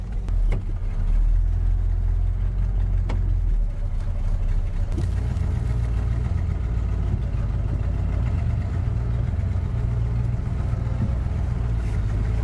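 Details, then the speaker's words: Abandoned 1967 Buick GS 340 V8 revived, still on points ignition: deep steady V8 rumble running evenly, with a few clicks and knocks from the car being moved. Normal running, runs great. "listen to it it runs great"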